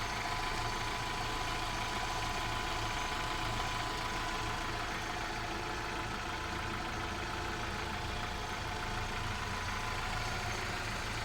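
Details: Volkswagen Vento 2.0 AGG petrol engine with 260,000 km, running on petrol before switching to propane LPG: steady, even idle at about 800 rpm with no knocks, misses or surging; sounds healthy.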